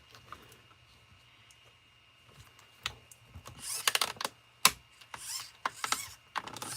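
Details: Sportwerks Reaction nitro RC stadium truck: irregular sharp clicking and ratcheting as the steering is worked; servo saver slipping, not working properly.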